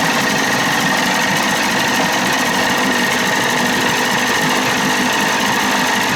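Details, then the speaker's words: 30 hp Evinrude outboard with a new throttle cable, no thermostat, running cold, carburetor at one and a half turns out. A thin high metallic whine over a buzzy clatter, not following revs: a faulty starter screaming and dragging while the engine runs. "sounds good that starter's screwed up that's what's making all the screaming"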